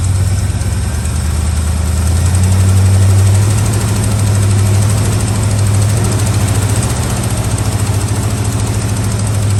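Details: Old truck V8, cold on choke: deep, steady burble with even low throb, no knocks or misses, no blue smoke at startup. Normal cold idle.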